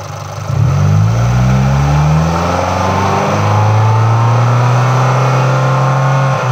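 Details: MultiAir engine revved up the range: the valvetrain rhythm shifts abruptly around 3,000 rpm as the MultiAir unit changes from late intake valve opening to full lift, which is normal operation.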